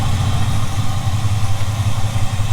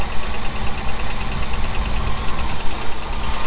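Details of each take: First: 1975 Ford F-350 that sat about 20 years, after running a while to work out the kinks, idles with a steady, even low rumble and no misses or hunting; earlier shakiness gone, now idling smoothly. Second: 1975 Ford F350, ex-Seattle Fire Department, not run in about 20 years, just fired up after filling the float bowl: low, lumpy idle with a light ticking that keeps pace with the engine. Suspected valvetrain noise.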